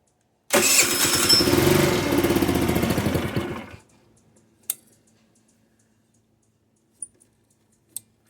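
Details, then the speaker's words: GY6 50cc/150cc scooter won't idle; starts only after accelerator-pump squirts from throttle blips, catches and buzzes raggedly about three seconds then dies; revs fine past quarter throttle, indicating clogged pilot jet. "so once it gets past 25% throttle quarter throttle can rev it up that just tells me pile of jet I already know it's the pile of jet"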